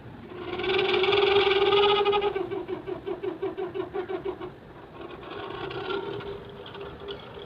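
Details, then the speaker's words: Room heater blower motor with worn bushings leaving a gap: hum rises, then stutters about three times a second, jams and recovers. Motor is to be replaced with a brushless computer CPU fan. "That's why this motor is not working properly. And let me turn it on, and you will see the motor is not running smoothly, and it is jammed and again run and jam."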